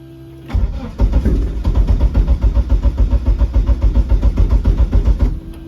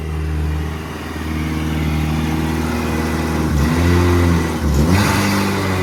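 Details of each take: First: Eagle Talon engine on a DIYAutoTune MegaSquirt ECU, fixed timing set to 10°: steady starter cranking at about 3.5 pulses a second that never catches. No-start because the ECU keeps losing crank-signal sync. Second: Eagle Talon 420A engine on a DIYAutoTune MegaSquirt ECU: steady idle, then clean rises and falls through a couple of blips with no misses. Normal running.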